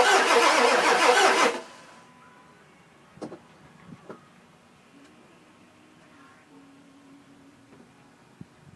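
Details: 2000 Ford F250 7.3 diesel, 208k miles, everything under the valve covers new except the injectors, new cam position sensor: a short burst of fast, even cranking for about a second and a half, never firing; crank, no start, owner suspects injectors.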